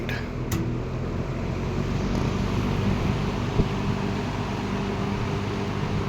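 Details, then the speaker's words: Late-1960s Eskimo 3-speed all-metal box fan on 120 V, high speed drawing 2.65 A: smooth, constant low whoosh of air with faint motor hum, no rattles or scraping; running healthy. "2.65 on high speed."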